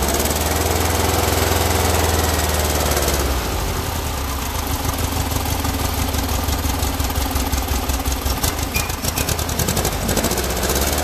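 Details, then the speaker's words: Freshly built air-cooled Volkswagen flat-four at first-ever start-up: catches after a few seconds of cranking, then runs ragged with uneven chuffs around three a second; oil pressure is up, carburetors way off and need tuning. "and what I would do at this particular point now is start tuning the Carver's as you can hear by the way it's running that it's that they're way off"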